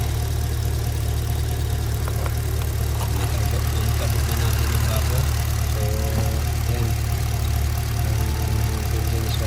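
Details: Holden Commodore Calais petrol engine after the misfire was fixed: steady, even low idle hum with no stumbles or uneven beats.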